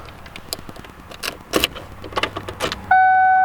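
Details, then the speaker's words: 1995 Ford Mustang GT with a new fuel pump after its wires were found reversed, key on with the battery connection restored: a few clicks, then a steady, even high whine as the pump primes normally and builds pressure. "I can hear damn that's a good sound is it that time yeah I'm just trying to build off pressure"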